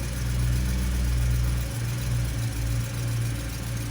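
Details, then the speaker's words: Stock 2008 BMW E92 M3 S65 V8, cold start; deep, steady high cold idle with a metallic chunky noise that is normal, no bearing noise; idle lifts, then quietens when warm; healthy. "this is a perfectly healthy s65 engine noise during the cold stuff so if you really like the car you should wait until the first idle finish"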